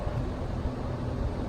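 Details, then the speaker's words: Brand-new Lennox condenser installed in November, capacitor tested fine, compressor drawing about 63.5 A: heavy low buzzing hum that never reaches speed; locked rotor, likely blowing fuses. "have you heard that but that's the compressor trying to start and that's probably what blew our fuses"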